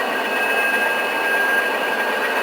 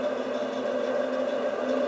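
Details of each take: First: 3 HP three-phase milling-machine motor converted to single-phase, 110 µF start capacitors (50+60 µF parallel) via push-button; steady even hum with faint high whine, no knocks or surging, running normally after start, about 3.8–4.3 A per line. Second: 3 HP three-phase motor for a milling machine, converted to single-phase with 50 and 60 µF capacitors in parallel (110 µF) on a start push-button; switched on, steady mid-pitched hum with no speed rise, energised but not yet turning before the start pulse.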